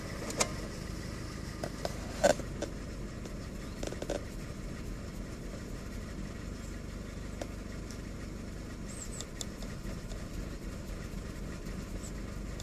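Small engine idling quietly but unevenly, with irregular stumbles and soft knocks roughly every two seconds; a rough idle, cause not obvious.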